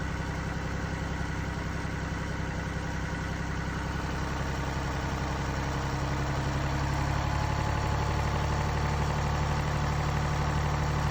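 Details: Mini Cooper D three-cylinder diesel idling: loose, uneven low rattle and judder under the clatter from a broken dual mass flywheel, which holds the clutch springs and fails through wear and tear; juddering after lifting the clutch is described.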